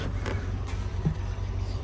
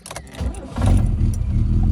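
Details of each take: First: Rover SD1 2600S after exhaust replacement, recommissioned after 17 years stored: low smooth even rumble, regular soft exhaust pulses, no ticking or knocking; running far better than before. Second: Rover SD1 2600S, recommissioned after 17 years in a yard, cold start with auto choke on before the exhaust replacement: engine catches and settles into a loud, raspy, blatty low rumble on fast idle; exhaust leak.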